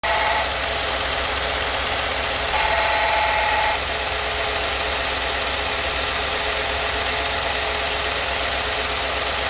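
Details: 2016 Ford F-150 at idle: low drone with a brief whine-like tone; unidentified engine noise, cause unknown.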